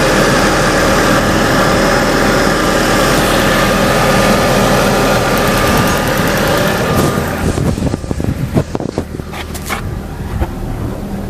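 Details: Ford Mondeo 2.0 Duratec, sat many months, new valve cover gasket and spark plugs, smoke from exhaust manifold on throttle: idle with a light, fairly regular tick about four a second over a rough hiss.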